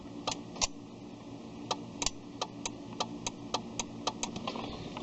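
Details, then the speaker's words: Ford Escape no-start, lights all on so battery not suspected: sharp single relay clicks repeating unevenly with each key try, no cranking; starter suspected failed, switch or anti-theft also considered. "click is relay at least inside here trying to start the car all the lights are coming on so I do not believe it's a dead battery or anything like that"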